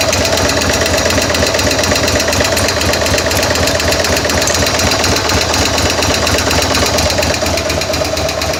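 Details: 2000 Buell M2 Cyclone V-twin at idle, just after a stator change and shifter adjustment, oil a little low: rapid, fairly even top-end tapping over a busy idle. Owner suspects a sticky or stuck lifter, unconfirmed.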